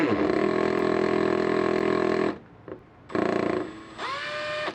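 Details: Makita DHP481Z (XPH07) combi drill, brand new, in screw mode with no pressure: smooth, steady motor whine, no hammering, clean rise in pitch on restart. Normal run, though this unit's faulty hammer engages whenever pressure is applied.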